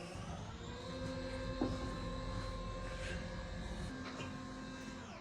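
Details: Acorn 130 straight stairlift travelling downstairs: smooth steady motor hum with an even whirr, cutting off cleanly when the lift stops automatically; healthy drive.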